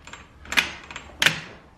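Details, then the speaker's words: Club Car Precedent golf cart brake pedal: two sharp metallic clicks as pedal moves, parking brake latch catching and locking down while driving when it shouldn't; owner suspects a loose, flopping part at the pedal, not confirmed. "this right here should not lock down once you hit the brake pad but you hear how it's catching"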